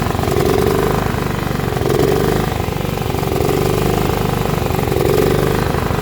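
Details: John Deere L110 lawn tractor that sat 3 years: small engine catches and holds a steady, even run with a slight slow rise and fall in speed; running properly.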